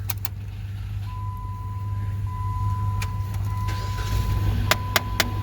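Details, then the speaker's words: Customer complaint of an engine knocking, ticking noise: sharp dash-level clicks over a low idle hum, heard when pressing recirc and coming from the HVAC recirculation door actuator behind the glove box panel. "Y'all just saw that hashtag short video where customer was complaining about knocking, ticking noise. Well, guys, that noise just happened to be coming from the actuator."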